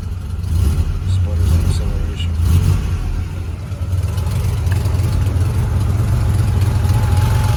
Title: Porsche 911 sc warm startup misfire